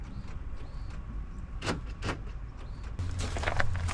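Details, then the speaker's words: Abandoned 2002 Ford Crown Victoria, newly made key turned: key-cycle clicks, then a low steady hum starts about three seconds in as the fuel pump primes normally each key cycle. "you can hear the fuel pump kicking on every time sounds"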